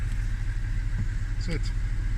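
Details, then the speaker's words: 2005 Audi A6 C6 after no-start fixed by disabling stuck steering lock (its black and red wires cut): smooth, low, even idle holding steady with no knocks or stumbles; normal idle. "and it started that was that was the issue"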